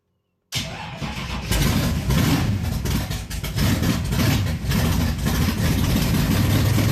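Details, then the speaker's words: Engine in a barn find that sat over 20 years in a loft, first start after oil priming, fuel pumped up and timing set: catches after a brief crank and settles into a steady, even, deep idle with no knocks or misses; healthy start. "You could hear it because there's quite an echo in this garage, but it did. It ran. 20 plus years. Started right up and idled."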